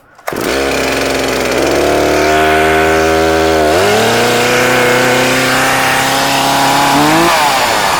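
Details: Older, little-used Stihl 036 Pro chainsaw, 20 in original bar and chain, 150 psi compression: pulls to life, climbs through a rising rev, then holds a clean, even high-pitched two-stroke scream with no misses; healthy saw.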